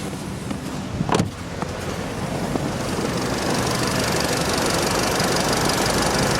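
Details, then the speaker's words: Engine at 81°C after a short drive, ZIC 5W-30 oil: brief handling clatter then even steady warm idle with no ticking or knocking, though hydraulic lifter knock when hot was reported earlier. Normal warm idle. "пока никаких слухов нет посторонних вот температуру 81 градус"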